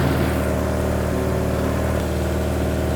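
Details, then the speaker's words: 1986 Suzuki Katana, unstarted for 31 years, after swapping wrongly numbered plug leads for cylinders 1 and 4: steady, smooth four-cylinder idle with no misses, all cylinders firing, though running very rich. "just listen to how smoothly this thing runs so sweet"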